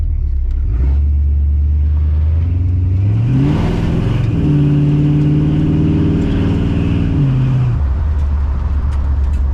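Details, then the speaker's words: Oldsmobile TH350 automatic on a road test after governor gear and filter replacement; engine pulls up through the gears, revs rising then dropping cleanly at each change, no flare or slip; all three gears plus reverse work. "all right it's all done I am one happy man all right we have first second and third as well as reverse still like I am wrapped happy ass"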